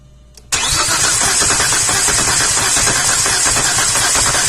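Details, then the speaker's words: 2004 Chevrolet Epica cranked with a mechanical compression tester on cylinder 2, which reads about 160 psi. The engine spins without firing, in an uneven rhythm with one stroke lighter. Low compression suspected in cylinder 3. "so I'm going to do try a real compression test on at least on number 3 because that's appears to be the cylinder that's got the mess definitely sounds like it has a compression issue"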